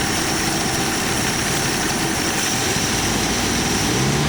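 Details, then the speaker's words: Carbureted AMC Jeep engine, all emission devices connected, just started, choke opening a little soon: steady idle on full idle circuit with gravelly air-pump whir; noisy but smooth and healthy. "So we're on full idle circuit, guys. Choke's open a little soon, but we're on full idle circuit. This thing is noisy."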